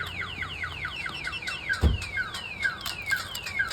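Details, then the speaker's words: 2005 GMC 2500 HD diesel pickup with a newly installed Viper alarm, triggered by opening the door, both sirens sounding. Fast repeating falling chirps, about three per second, steady and loud; the alarm siren is going off as triggered. "so now it's even louder you can hear both of them going off [Music] okay that's not gonna sit off until to uh"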